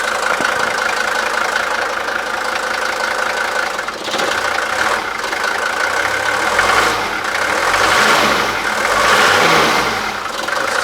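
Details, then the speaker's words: 41-year-old Mercedes-Benz W123 (S123) 300TD turbo diesel estate, cold engine just started: steady, even diesel clatter at idle with no misses or stumbles; sounds healthy. "that was the first try and it's cold engine currently uh but it sounds Prett nice"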